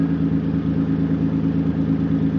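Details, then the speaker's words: Nissan 300ZX petrol V6 idles unevenly with occasional stumbles from an intermittent misfire; ECU codes 33 and 53 point to O2 sensors; owner plans to check coil packs, MAF sensor and all six cylinders. "I'm trying to figure out why my 300ZX is misfiring if you listen closely you can hear it"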